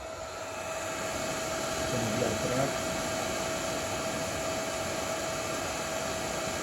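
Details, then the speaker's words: Nankadf (Wanptek-twin) 120V 3A bench power supply: steady airy whoosh with a thin constant whine from its periodically switching cooling fan, loud for the unit; fan too noisy, a defect. "słychać waga tego Zasil że on coś jakiś czas się włącza ten wiatrak Niestety ten wiatrak jest hałaśliwy"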